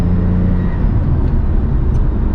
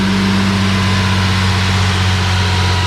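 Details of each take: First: Lexus IS300 idling steady and smooth, a bit quick but without misfire, now just under 1,000 RPM after new spark plug wires; it idled at about 1,600 RPM on the previous day's test drive and was loud at idle. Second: 1 Lexus IS300 driving smoothly with a steady, even idle and no stumbles, after new spark plug wires and a fixed coolant leak (coolant had reached cylinder 3) cured earlier throttle issues and misfires; owner doesn't fully trust it yet.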